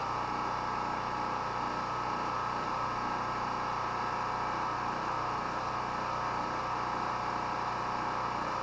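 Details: Chinese Honda-clone portable petrol generator, unused about a month, on mostly year-old stabilized fuel: steady, even drone with no knocks, misses or surging across the whole run; healthy.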